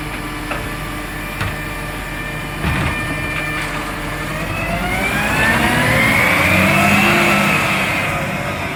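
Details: Marion garbage truck SL01300 after exhaust leak repair: a few clanks, then the engine revs up and back down smoothly with no ticking or puffing from the exhaust; normal revving.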